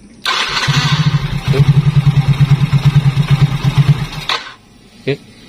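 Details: Yamaha Mio J whose starter only clicked, after the starter motor and starter switch were refitted: fast, even cranking for about three and a half seconds with no clicking; the starter now works normally, though the engine won't idle.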